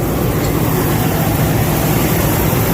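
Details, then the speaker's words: Combine running after repairs, checked for a knock previously heard at the shaker arm: steady, even low rumble with no knocking, sounding much better than before. "Got the combine running, just trying to listen. I mean, everything should be fine, but you could hear that knocking over here on that shaker arm when we quit the other day. Everything seems a lot better."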